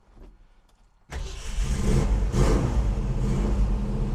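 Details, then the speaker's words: Cold start of a 1966 Ford Mustang GT Fastback, 289 A-code V8 with 4-speed manual in neutral, freshly tuned, Flowmaster header and exhaust. The starter catches and it settles into a deep, even, lumpy idle with no misses. Normal. "Yeah, this was pretty much a cold start because I literally, before that, I just rolled it under the angle over here."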